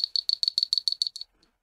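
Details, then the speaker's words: Taramps amplifier cooling fan after cleaning old grease from the rotor and bushing with isopropyl alcohol: light, even ticking rattle about seven per second as the rotor shakes on its shaft; bushing now turns freely. "you'll hear that this bushing is relatively free on the shaft now and that's exactly what we're after"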